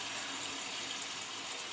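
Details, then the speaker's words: Heating system with pipe in garage ceiling leaking from rubbing on a nail, zone valves opened at purge stations: steady hollow hiss of water rushing through pipes; was holding a vacuum, now draining freely. "Can hear it draining. It was holding a vacuum before."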